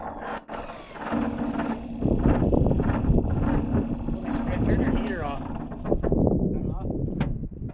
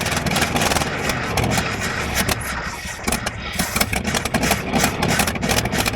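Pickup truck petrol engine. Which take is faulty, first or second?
first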